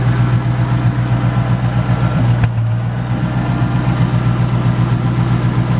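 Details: Single-turbo 5.4 with head work by Modular Head Shop, started in the driveway: a deep, even, smooth idle with a steady low rumble and no knocks or misses. Tame-sounding but described as very fast; a normal, healthy idle.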